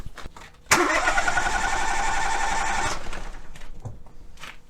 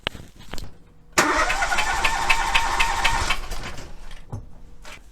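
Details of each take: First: Ford three-cylinder engine cranking during a relative compression test by battery voltage on an oscilloscope: about two seconds of steady cranking, evenly spaced beats near four a second; even, healthy compression. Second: Three-cylinder engine with spark plug number two removed, cranked for a relative compression test with the oscilloscope on the battery: about two seconds of uneven cranking, one stroke per turn lighter, a flat spot in voltage showing that cylinder has no compression.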